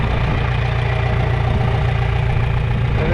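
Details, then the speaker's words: Old positive-ground green tractor after battery charging and cleaning corroded points, low on oil; steady low rumble at an even idle with no stumbling or missing beats, running normally. "looks good. It sounds good."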